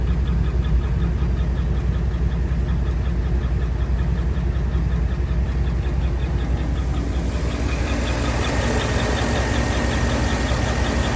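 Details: 5.3 V8 with AFM idling: light, regular chirping tick, about three a second, from a collapsed AFM lifter and a damaged camshaft lobe.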